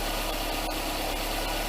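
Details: Nissan Sentra petrol engine idling right after a starter replacement (the old starter only clicked): constant, even note with no stumble or roughness; it starts right up and runs fine.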